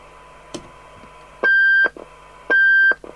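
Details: Interceptor TC300 CB27/81 UK FM CB radio under repair: two clear, high, even beeps about a second apart in a quiet room. The set is alarming on transmit with no transmit power; cause unknown. Receive is very deaf (30 µV for 12 dB SINAD), and the alarm/thyristor cutoff preset had been removed.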